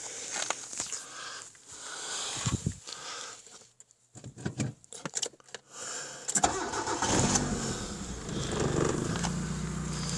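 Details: 1995 Mitsubishi Lancer 4G92 petrol engine, about 5,000 km after rebuild, no oil burning, compression normal: cold morning start settling into fast idle with a steady, regular knock lasting about 30 seconds.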